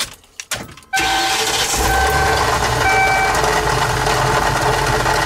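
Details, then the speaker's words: Ford Triton 6.8 V10 motorhome at idle: after cranking, light irregular popcorn-like popping rattle on top from the driver-side valve cover; loose valve cover baffle, cover replaced. "sounds like a popcorn popper in there take this cover off real quick and get a better sound quality so you got your Veil cover here that's where the sound is definitely coming from on mine"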